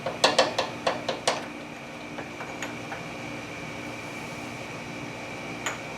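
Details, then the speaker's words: Logan 820 lathe headstock after fitting a replacement spindle, bull gear and back gear shaft from a newer Logan, the old bull gear having had a broken tooth: a few clanks, then a quiet, even whir with a steady faint tone, no knocking; normal running. "I like it. That sounds a lot better. Chucks even fit tighter."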